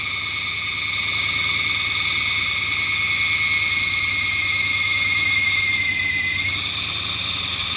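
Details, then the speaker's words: 1996 Mustang GT after long storage, just started and running on gasoline with smoke from the exhaust: a shrill, steady drive-belt squeal over a smooth idle that quiets as the engine smooths out. "I see the the belt noise let me get off this the belt noise is quieted down now it's starting to smooth out a little bit"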